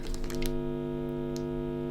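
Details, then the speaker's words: Constant buzzy mains hum with even harmonics from low bass past 1 kHz, picked up through the amplifier when a generic wall-wart supply's wires sit near the guitar pedal-board signal chain; the noise comes from the wall supply and its wiring. "yeah you can hear how noisy that is so a lot of noise coming from the wall and from the wires as well"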